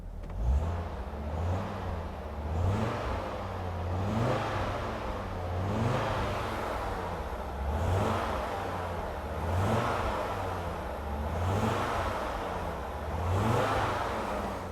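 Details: Rare Audi Coupe five-cylinder, said to have hydraulic lifters, tapping cleared after a few minutes, golden oil, recorded from outside; repeated throttle blips rising and falling cleanly, no tapping or knock, normal running.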